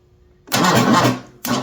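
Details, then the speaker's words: '78 Ford F150 with a freshly swapped built 460 big block, second cranking try with plugs in: two short, strained starter bursts that drag and fade without catching. Slow cranking from a weak battery (about 12 V, sat on a shelf); jumper pack next. "ooh she didn't like that but that battery is really low"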